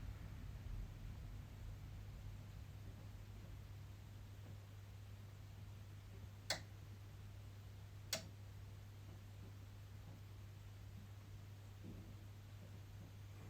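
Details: EcoFlow Delta Pro power station: steady low hum with sharp relay clicks a couple of seconds apart, as low solar panel output in early morning or evening makes input repeatedly connect and disconnect for over 30 minutes.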